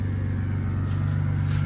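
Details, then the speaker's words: BMW E82 1 Series project car, warm after first cold start: smooth, even low rumble at idle, no misfire, stumbles or dropouts; idles fine and stays running on its own. "But there it is. Idles fine. Runs good. Stays on on its own."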